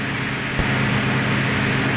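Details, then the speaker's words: 1949 film: a fine motor car engine of more than 100 horsepower, running and responsive to the accelerator. Steady, even drone with a low hum and no knocks or misses. Normal engine running. "familiar sound of a fine motorc car engine more than 100 horsepower responsive to the driver's lightest touch on the accelerator"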